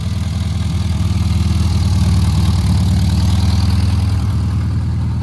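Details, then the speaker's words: 1300 VW Beetle engine after new distributor (previously 180 degrees out, wouldn't start), rewiring and tuning; previous bad knocking gone, steady low chuffing idle at about four pulses a second, no misses or knocks, running sweetly. "So we'll start them up now. Take a listen, and I think it's running sweet as a nut."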